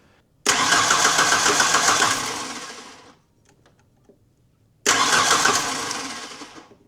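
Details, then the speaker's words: 1991 Ford Ranger 2.3 (eight spark plugs) with previously replaced coil packs, ICM, fuel pump and ECU. Two cranking bursts of about 2.5 seconds; the starter spins evenly but the engine never fires, and a spark tester shows no spark. Crank no start. "I'm going to crank it and and we'll see if it flashes. Dyslexic. I've hooked that up twice. wrong. All right. There's no spark."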